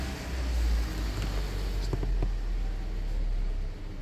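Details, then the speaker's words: Toyota Corolla Altis 1.6, 2013, 182,000 km, after throttle body reset by disconnecting battery: warm idle stable at 600–750 rpm, steady deep hum, no knocking, couple of faint clicks; normal idle. "अब देखिए इसकी RPM A टमपरेचर are buckle stable है 6 से 750 तक इसके आ होते हैं"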